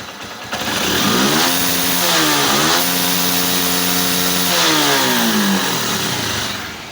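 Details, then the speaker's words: Honda Hornet 160R with new cylinder kit, after fixing low pickup (was about 70%, blamed on clutch plate, actually a side-part fault): engine climbs smoothly to high revs, holds, drops cleanly with no misses; now takes full pickup. "इसका cylinder kit वगैरह हमने new डाला है, आपने देखा है, काफ़ी smooth sound निकला है, जो बेस साउंड है वही आया है। एंड गाड़ी अभी प्रॉपर फुल पिकअप भी ले रहा है।"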